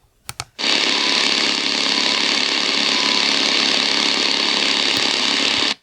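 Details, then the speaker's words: Prunus J-168 portable radio on shortwave band, with a 22 ft external wire antenna attached: loud even hiss of static with no station, internal RFI generated inside the radio; external wire tends to reduce it. "You can hear that sound. It's the internal RFI, but when you hook up a wire, tends to reduce that noise."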